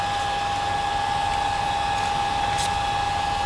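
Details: New replacement cooling fan on the MPT-7210A solar charger, just plugged in: steady, even whoosh of air with a clean constant hum and no rattle or ticking; running smoothly and healthy.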